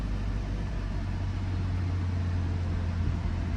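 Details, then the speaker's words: Auction car with 211,276 miles, started right up with no warning lights: steady even low hum, no knocks, misses or whine; normal smooth idle. "No lights on. Running smooth."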